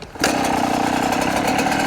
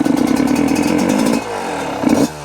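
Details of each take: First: Yamaha YZ125 two-stroke during rich-running diagnosis, after jetting changes: starts on one kick with no throttle and settles into a steady, crisp idle with no stumbling. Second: Yamaha YZ125 two-stroke after jetting changes, air screw three turns out: idles crisply, but each throttle blip bogs and stumbles off idle; too lean.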